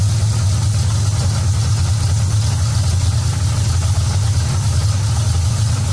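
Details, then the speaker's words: Carbureted V8 with an Edelbrock Street Demon carburetor at operating temperature, idle mixture screws backed out from rough until the engine smooths: a deep, steady, even idle with no misses or hunting. "back it back out until you hear the engine smooth out you can hear it smooth out and kind of idle"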